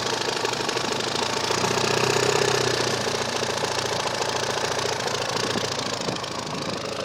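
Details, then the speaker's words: 1997 Talon with 1G engine swap, motor about 11,000–12,000 km: rough uneven knocking rattle about three per second while revving, came on suddenly, worsened over minutes, then car wouldn't restart; owner suspects timing belt or top end. "and all of a sudden my motor starts making noises it's a fairly brand new motor here maybe 11 000 kilometers maybe 12 000."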